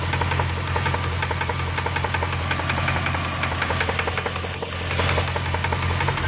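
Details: Jeep Grand Cherokee 4.7 V8, 158,000 miles, idling: sharp steady tapping knock, several per second, seemingly from the passenger-side cylinder nearest the firewall; cause unknown.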